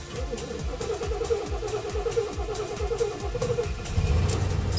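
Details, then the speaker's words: 1973 fiberglass-bodied RV with air suspension, 97,000 miles, unstarted for a couple of days and pumped a few times first: several slow, even cranks, then it catches into a steady idle. A normal start. "She always starts like that. It's like, you know, a few turnovers, and then she'll just start up right away quite happily."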